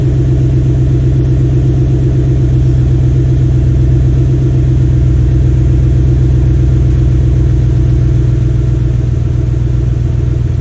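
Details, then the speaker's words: Restored 1993 Cadillac Seville 4.6L Northstar V8 after rebuild, idling, heard from the rear of the car: deep steady rumble holding an even beat, no misfires, ticks or knocks; runs clean and healthy. "On va le faire tourner un peu au ralenti et voir comment il tourne."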